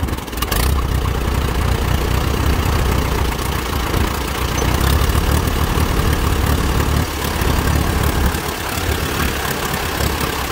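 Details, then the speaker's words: Allis Chalmers WD tractor baling hay in 100-degree heat, ignition timing set back to its old incorrect mark: lumpy chugging idle worsening as throttle increases, with wind noise; correcting the timing fixed it. "here that idol is not bad but it kind of gets a chugging effect to it and then obviously as throttle increases that gets worse"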